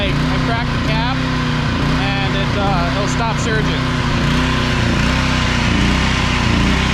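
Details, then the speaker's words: Small engine that runs only three to five minutes, then hunts up and down about once a second and dies from fuel starvation; cracking the tank cap levels it off, confirming a blocked cap vent. "once it starts surging we're going to crack the cap and see if it levels off and if it does level off there's a good possibility that it's the cap"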